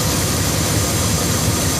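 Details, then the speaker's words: 1998 Dodge Ram 1500 after water pump replacement, first start: steady, smooth low rumble with no knocks, ticks or squeals, no leaks seen; normal idle. "Here we go, look at that. She's purring like a cat."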